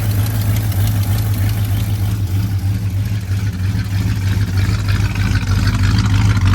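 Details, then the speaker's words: 1985 Chevy C20 V8 that sat outside over 10 years, first start with some choke: steady, even low idle rumble with a regular beat, no misses or knocks, no smoke; a fuel leak appears afterwards. "No smoke. Well, no, that's just exhaust. It sounds like it's camped."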